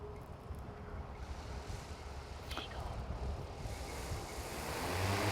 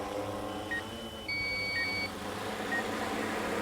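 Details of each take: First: DJI M300 RTK drone with H20T on takeoff: rotor roar builds, then faint high beeps about once a second as the downward obstacle-avoidance and landing sensors warn it is too close to the ground. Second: DJI M300 RTK drone flying close to a building and pole: short high beeps and tones over steady rotor hum are the obstacle-avoidance system's audible proximity alarms.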